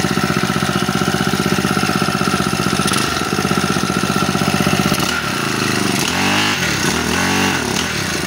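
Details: Honda G35X four-stroke brush cutter after a valve clearance, timing and carburetor tune-up: starts on one pull and buzzes at a fast, even pace, holding steady, then blipping up and settling; normal running.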